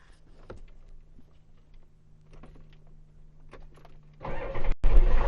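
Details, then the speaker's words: 1993 Ford F250 diesel after starting system repair, with the solenoid and starter reconnected; after a glow plug wait with low hum, the starter engages briefly and the engine fires straight into a steady run, a normal start. "That's how it's supposed to be."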